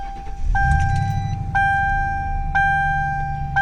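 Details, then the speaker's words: 2002 Mercury Grand Marquis with Landi Renzo LPG system, just started: deep, steady, even idle rumble with a chime beeping about once a second; engine is good, the loudness comes from Flowmaster Cherry Bomb mufflers. "the motor is good the loud idling sound comes from the flowmaster cherry bombs that this car has"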